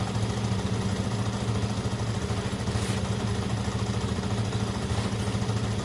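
Even, steady low burble from the twin at idle with a smooth pulse around three and a half per second; clean healthy tickover.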